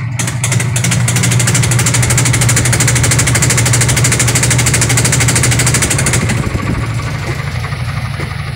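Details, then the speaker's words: Sharp automatic washing machine over 10 years old, very noisy spin dry: fast steady thumping over motor hum as the wobbly tub hits the cabinet; defective tub assembly. "Yan, sobrang mapalag yung kanyang tab, kaya bumabangga siya, kaya nag-iingay siya. So lalong lalakas yan kapag yan ay nag-steady na ng mabilis."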